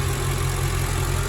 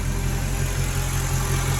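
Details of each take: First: Mercedes ML55 V8 idling after oil catch can install: steady even low burble, no hiss or stumble; suspected vacuum-leak sound traced to dipstick not seating (worn O-ring), idle normal. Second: Mercedes ML55 AMG V8 after oil catch can install: smooth, even idle with soft airy hiss; vacuum leak from dipstick not seated, worn O-ring, sounds better once pushed down.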